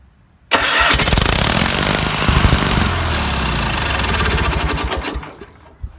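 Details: Gravely 8163-T tractor, twin-cylinder Kohler M18S engine, fuel line cut because of bad gas, run on fuel poured into the carburetor throat: brief crank, catches at once and settles into a fast, steady twin-cylinder patter. Normal running.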